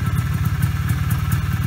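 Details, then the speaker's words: 1991 Polaris Trail Boss 250 two-stroke ATV, 28 years stored, after brake work; quiet even low putter at idle with steady pulses, no knocks or rattles, quietest 250 heard in a while; normal idle. "and it's pretty quiet this is the quietest uh 250 I've heard in a [Laughter] while yeah nice and quiet"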